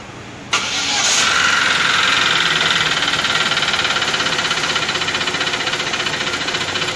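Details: 2013 Chevrolet Cruze engine with a noise: catches and settles into an uneven idle with a rhythmic pulsing stumble about four times a second; misfire, valve suspected, head to be removed, not confirmed.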